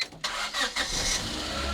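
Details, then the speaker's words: $300 Honda Civic EK hatchback restart, no coolant or transmission fluid, exhaust manifold not fully on, owner suspected a knock: short crank, catches quickly into steady idle with no obvious knock; normal engine start. "it starts right up, dude. That's crazy."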